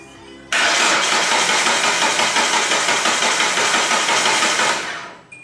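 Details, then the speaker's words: Project race car after fixing a loose power post connection: the starter spins the engine steadily at about three compression beats a second but it never fires. Suspected lack of fuel or spark. Crank, no start. "okay well that's a Improvement sounds like it's not getting fuel fuel spark any of the above"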